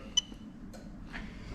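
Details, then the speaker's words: Lexus SC430 3UZ-FE VVT-i V8 swapped into LHD Toyota IS200 with J160 manual gearbox, engine off, AC magnetic clutch relay activated via OBD2 tester: single sharp click then silence; relay switching normally. "and you're gonna hear the ac magnetic clutch relay click okay so again happy with that"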